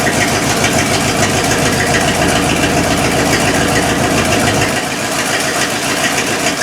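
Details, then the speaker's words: 1972 Cadillac hearse V8 restarted after sitting since 1995, timing adjusted, fed 91 octane in the carburetor bowl: steady, even idle with no misses or knocks. Running normally; oil pressure seemed encouraging. "oil pressure didn't sound that bad even though it was just I don't know 15 second 20 second run whatever it's encouraging"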